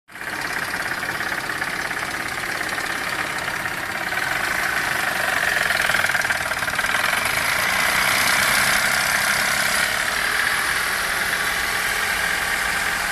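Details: Chevrolet Captiva 3.2, fully warm, no fault codes, running evenly: uneven tapping knock about three per second over idle with hissy background, coming from the timing chain side; knock disappeared after switching off and restarting. Cause unknown.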